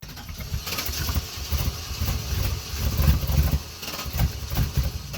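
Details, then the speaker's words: Cadillac Fleetwood after no-start, refuelled and battery-boosted; engine finally catches with heavy smoke and runs lumpy, surging and sagging rather than settling to smooth idle. Rough running after start. "Well, it's running, but look at all that smoke. Like, look at all that. It finally started though. It finally fired up."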